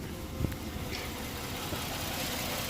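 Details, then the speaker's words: 2008 Ford Edge 3.5L V6, 122k miles, idling with the check engine light blinking and long-term trim adding 25.8% fuel. Uneven, stumbling idle with dips in the hum. The injector signal, believed to be number three, shows it misfiring; the injector needs replacing. "we are getting a signal as it's misfiring [Music] and to confirm the issue we do have a blinking check engine light"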